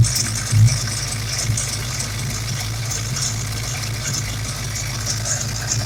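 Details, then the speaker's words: Ford Mustang small-block Windsor 351/302 V8: uneven hop and lumpy, unsteady idle beat; vacuum leak of unmetered air past cylinder 7 injector O-rings after the MAF, causing misfire at wide-open throttle; new O-rings didn't seal it. "okay guys i want to show you the vacuum leak i'm dealing with [Music]"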